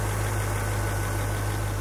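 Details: 1975 International Harvester Scout II, original stock 345 V8: steady deep low rumble with no knocks or ticks, an even idle that sounds healthy.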